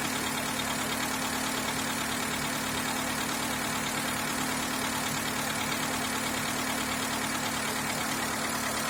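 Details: Skoda Fabia 1.4 engine at idle: steady tapping at roughly three per second, fairly even over a busy background; engine knock, source undetermined.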